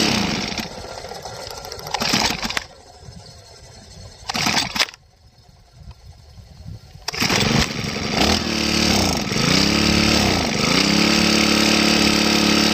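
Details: Grass trimmer run until its tank was empty, then refilled: it catches in short bursts and cuts out, and revs rise and sag unevenly. Air in the fuel system starves it and it dies when throttled.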